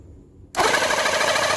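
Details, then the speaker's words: Battery portable Reaim jet cleaner that was totally dead (not spinning, humming, hot), tested after grease check and rotor housing reassembly: silence, then pump starts instantly into an even, steady whir with no grinding; pump, piston and motor normal. "Sudah kembali normal ya, Teman-teman ya untuk pompanya dan untuk pistonnya dan juga untuk dinamonya."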